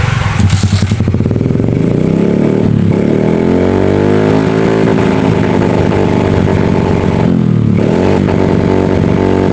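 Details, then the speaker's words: Yamaha F1Z R two-stroke engine reassembled after seizing from a worn connecting rod, after cleaning: crisp, even crackle that climbs and settles smoothly with the throttle, no knock or rattle; running normally. "Suaranya pegang-pegang tuh nggak serasa, tapi normal."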